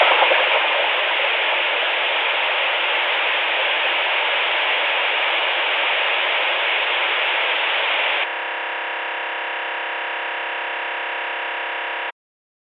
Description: My second "weird noise on walkie talkie video". This one was heard on the Luiton LT-316 radio.